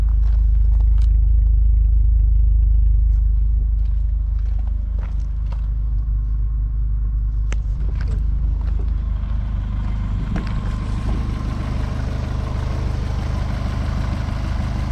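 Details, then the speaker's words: Car with new O2 sensors ordered to clear a remaining engine code. A deep, steady, even idle with no misses or knocks, running smooth for now. "but right now it is running smooth so we will see how long this lasts this time"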